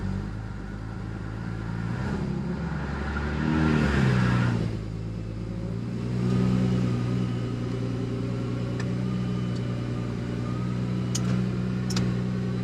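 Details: Single-turbo BMW N54, first start after intercooler and fuel-line work with AN fittings and a bit of air in the fuel: a couple of brief revs, then a steady, even idle with no stumble or miss; normal running.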